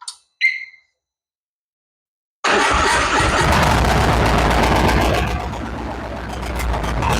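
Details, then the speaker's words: High-mileage Harley-Davidson V-twin, first start after S&S 129 Power Plus kit, new plugs and big injectors, tune not yet adjusted: fires after a pause into a loud, lumpy, hunting, loping idle; way too much fuel at idle. "She starts. Sounds a little rowdy. Definitely got way too much fuel at idle, but I have just thrown some big injectors into it and I haven't adjusted the tune yet."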